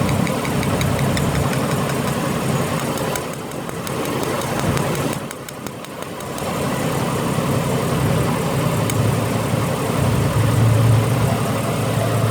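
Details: Ford BA Falcon inline-six idling before ignition coil replacement: rough idle with irregular stumble about four beats a second from a failing coil; the old factory coils are on the front three cylinders.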